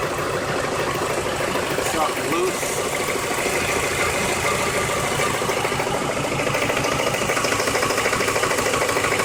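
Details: Car engine at idle, ticking from start until shut-off, around the oil pan: light quick tick about three per second, steady throughout; began two days ago, balancer suspected, source unknown.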